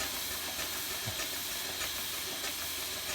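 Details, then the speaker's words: Allen Mogul live-steam locomotive after silver-soldered piping repairs, running on only about 10 psi air: soft hissing exhaust chuffs (stack talk) at an even beat around 150 a minute, smooth, no knocks; normal running. "look at that we've gone to like 10 psi and it's running smooth and sounding good that's so cool not even enough pressure to make the whistle go"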